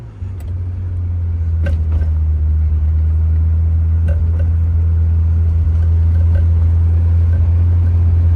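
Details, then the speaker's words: Ferrari F355 V8 after work on the spark plug wires: a deep, steady idle drone with an uneven beat that stumbles now and then, an idle and off-idle misfire; improved but unresolved, plugs or wires suspected. "yeah it's just got that miss. it's certainly better than it was. misses a little too off idle"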